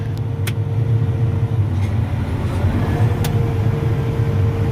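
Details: Combine in wheat field after a breakdown repair, straw chopper lowered: even low rumble with a steady drone and faint constant hum, no knocks or grinding; separator running smoothly.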